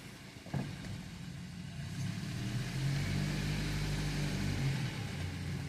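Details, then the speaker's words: 2014 BMW X4 stuck and won't move, on lift in Drive with traction control off: engine revs and labours with low rumble but wheels don't turn, sounding like dragging. "And it sounds like it's dragging."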